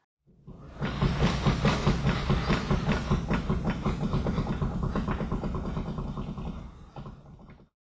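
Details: 2000 Volvo V70 XC front wheel hub rocked by hand: quick, regular metallic clunks about two a second. Worn outer tie rod end.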